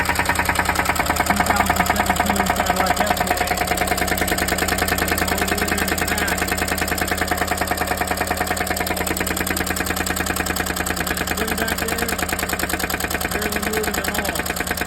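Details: 2017 Cadillac Escalade V8 at idle: steady, sharp knock of about three beats a second riding over the engine; suspected lifter knock, not confirmed.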